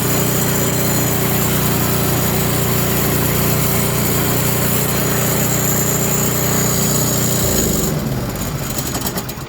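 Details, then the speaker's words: Toro Power Clear 721E snow blower, won't start or stay running per customer: engine runs loud and rough at first, then drops out abruptly and seems to run fine; surging, carburetor to be inspected, cause unconfirmed. "Well, it seemed to be running pretty crappy right at the beginning there, and then it just kind of dropped right out of it."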